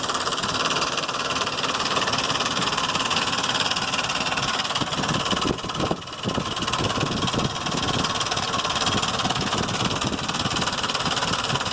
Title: 2005 Explorer 4.0 engine making noises lifters or timing chain?